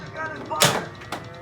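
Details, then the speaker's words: 1991 Data East Lethal Weapon 3 pinball machine, right flipper after repair of a weak flipper: two sharp, solid snaps about half a second apart. The flipper now fires strongly and normally. "oh yeah that flippers so much better so much better"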